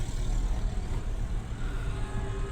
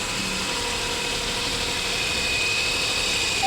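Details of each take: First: Renault Kwid with check engine light blinking, low pickup and poor mileage: low, lumpy stumbling engine note with slow revving; misfire, head overhaul and new piston rings planned. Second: Renault Kwid three-cylinder after an engine overhaul with new piston rings for misfire, low pickup and low mileage: light, steady hum with a faint even pulse and no misses or back pressure, settling into a smooth idle.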